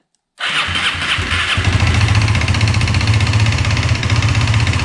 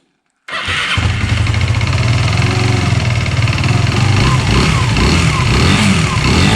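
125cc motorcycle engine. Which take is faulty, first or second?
second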